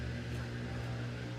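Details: Samsung steam VRT washer drain pump after it had stopped dead and overheated, no new parts: steady low hum with no grinding or rattle; impeller turning freely, pumping normally.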